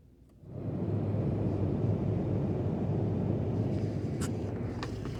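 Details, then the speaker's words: 2007 Ford Expedition rear blower motor after rewiring its switched 12 V feed through a fuse tap: after a click a steady low whooshing hum comes on and holds; running normally. "you should be able to hear that rear blower motor kicking in."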